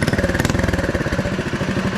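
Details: Off-road mini quad on its first test drive, gutted muffler and 3D-printed intake snorkel with filter. Quick, even exhaust pulses at about 12 per second, steady beat, no misses or knocks; the small single-cylinder engine idles cleanly.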